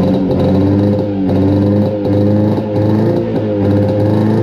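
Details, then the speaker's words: 1972 Arctic Cat Panther 340 two-stroke snowmobile, first start after sitting: uneven idle surging and dipping about once a second; owner suspects flooding rather than running lean given slow acceleration; exhaust loose, CVT stuck. "doesn't like idling. I don't know if it's flooding out or running too lean. I think it's probably flooding out because of our very slow acceleration."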